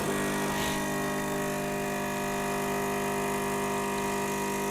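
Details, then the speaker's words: Gaggia Cubika espresso machine after full disassembly and repair with no new parts: even, steady pump buzz with no sputter or strain while brewing espresso normally; some water running over the top. "It's running out over the top a bit as well there, which I don't think it should. So the water started running clear after a while there, so I guess that's my espresso done."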